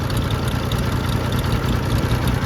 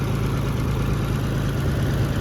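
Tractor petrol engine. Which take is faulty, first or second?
first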